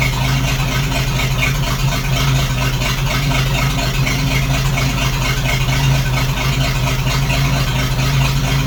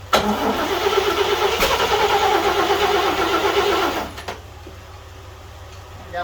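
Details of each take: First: 1941 GMC one-ton pickup, 230ci straight six, first start after 15–20 years: steady, even idle with a smooth low beat, no skips or stumbles; no cylinder sounds missing, running healthy. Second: 1941 GMC one-ton pickup, 230ci straight six, first start attempt in 20 years with two-stroke oil in the gas: cranking about three turns a second, a few coughs that never catch; owner suspects flooding, no start.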